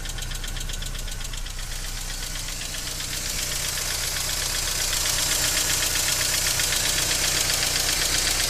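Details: BMW E46 318i 118hp on cold start: fast, even metallic ticking about four per second at idle that sometimes stops and returns after revving. Fixed by replacing the hydraulic lifters: hydraulic lifter tick.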